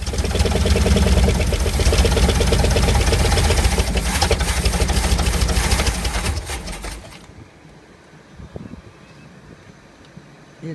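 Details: 1964 Ford Galaxie convertible abandoned in a field, first start in decades: loud, uneven, lumpy stumbling running for about seven seconds, then dies away; rough running.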